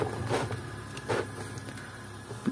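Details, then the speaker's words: Standard electric desk fan powered on: steady low mains hum with no rising whoosh of blades; the motor hums, and the blades move slightly but won't spin, because of a worn, stuck motor bushing. "Number one tayo mga Master an kung maririnig niyo umuugong yung kanyang motor no bale naman matigas yan h naman siya matigas pero umuugong yan yan mga Master umuugong siya yan pakinggan nio"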